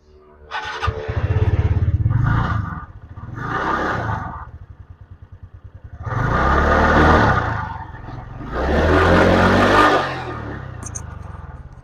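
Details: TVS Ntorq 125 BS6 scooter after repair and reassembly for an engine noise complaint: short throttle blips rise and fall cleanly over a steady idle with no knocking or grinding; a remaining rattle is attributed to a loose silencer. Normal idle and revving.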